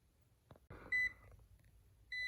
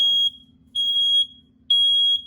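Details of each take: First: Smoke detector that never worked properly since the house was built, eating batteries fast: two short, high, sharp chirps about a second apart in a quiet room; low-battery chirp. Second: House interconnected smoke detectors that chirped and drained batteries for 20 years, after repair with AC power at every unit: loud high-pitched beeps in bursts, several alarms sounding together on test; normal smoke alarm test.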